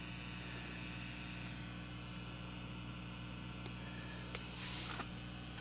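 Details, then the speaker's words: Supro amp with volume wide open, reading about 54–56 dB at the speaker; a faint steady hiss with low mains hum and no crackle. Quiet, healthy amp noise floor. "that's pretty darn quiet it picks up a little bit when we go all way the top"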